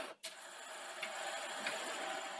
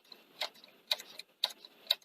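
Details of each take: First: Sony SL-C30E Betamax VCR (European 240V), dusty and tatty, after adjusting mode switch alignment: a steady motor whir for about three seconds, then clicks and clunks as the tape threads. Loading now works normally. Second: Sony SL-C30E European Betamax VCR (240 V, tatty, dusty, tape just jammed around capstan): loading solenoid clicks about every half second with a soft, limp clunk instead of a crisp snap, pulling weakly during cue; weak solenoid actuation.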